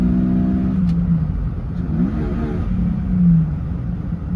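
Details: 2004 Jeep Grand Cherokee 4.0 inline-six with THOR cold air intake, after a new Flowmaster muffler and tailpipe replaced the rusted-off straight pipe: deep, even burble climbing smoothly through a quick rev and settling back; normal exhaust note.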